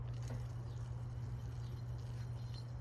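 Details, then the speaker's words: Supposedly remanufactured AC compressor for a 1986 Toyota Camry, spun off the car beside the 40-year-old original: steady low hum with a rough, scratchy undertone, noisier than it should be. Abnormal AC compressor noise, cause unclear. "This is the supposedly remanufactured one. Can you hear that? There you go. Why does it sound like that? It shouldn't sound like that."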